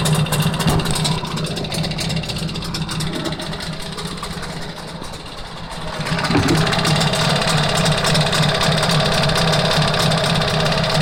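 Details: A steady tapping of about three to four beats per second rides over the idle and speeds up with the revs. Engine knock of unknown cause.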